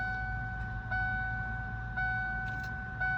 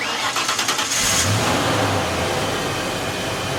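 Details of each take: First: 1992 Ford Mustang 5.0 LX Fox body after battery cable and ground clamp replacement: key turned to start gives only fuel pump whine and a steady warning chime, no starter click or cranking; starter solenoid relay at fault, jumping its contacts starts the engine. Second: 1992.5 Ford Mustang 5.0 LX start after starter solenoid relay and battery replacement: quick, even cranking for about a second, then a clean catch into a steady, smooth idle; healthy start.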